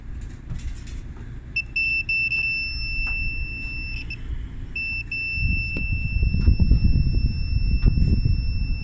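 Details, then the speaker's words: Washer with grinding-noise complaint under repair, lid switch bypass tested: long steady high-pitched beeps with brief gaps over clattering handling noise; lid-open alarm keeps sounding, lid switch failed. "yeah that switch is bypassed because i opened it up it's still beeping so the lid failed this switch failed on this"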